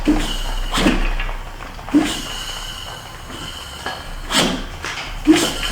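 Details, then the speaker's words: Neglected Chevy C10 engine turned over: gritty, dry scrapes and creaks come about every second with each crank turn as rust drags in a bore; rusty fluid shoots out, and the back cylinder is suspected. "I hear the rust. Y'all hear it? Let me go backwards. It's definitely rust."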